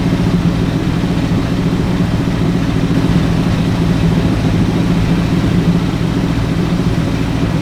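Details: Ford Galaxie with 289 or 302 V8 (uncertain), freshly started, before timing and carburetor secondary adjustment: steady, smooth low burble held at a raised idle without settling; fast idle, suspected from timing needing to be backed down.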